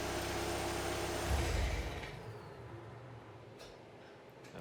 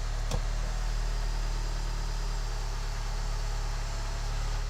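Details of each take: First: VW TDI with DSG, around 192k miles, at cold high idle: diesel idling, then a dull low clang on shutdown from a worn dual mass flywheel. It clangs at low idle and goes away as revs rise. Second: VW TDI with DSG at about 192k miles, first start after replacing a noisy, knocking dual mass flywheel, tensioner and alternator pulley: smooth, even low idle with no clanging or rattle from the bellhousing; flywheel sounds healthy.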